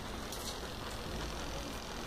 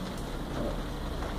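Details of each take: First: Tanquinho washing tub just switched on with its timer running: soft, steady motor hum with an even churning underneath and no knocks or squeals. The agitator is running normally. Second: Tanquinho (twin-tub washer) motor with no capacitor fitted: stopped when powered, runs with steady low hum only after a hand spin; it cannot start itself, pointing to the start capacitor and auxiliary winding.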